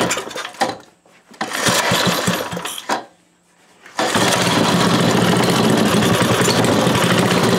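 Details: Briggs 5HP engine after conversion to electronic ignition using an ignition module, kill wire rerouted, flywheel cover refitted: a few sputtering pulls then fires and settles into a steady, even run; healthy start.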